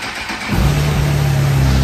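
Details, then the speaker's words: Motorcycle after the tip-over sensor is set back upright: the fuel pump whirs as it primes, then the engine fires instantly and settles into a steady, even idle. Normal start. "So now when we turn the key, the fuel pump should prime. Just like that. You can hear that whirring sound, and we go to start it."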